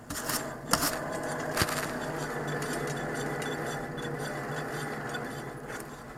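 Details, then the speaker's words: 2002 Honda Accord with wheel noise on test drive; tires worn evenly, so not tire noise. Raised wheel spun by hand gives a dry, hollow, metallic, almost grinding scraping rumble: a worn wheel bearing. "turn this baby you can hear that that hollow kind of whatever noise metallic dry almost grinding"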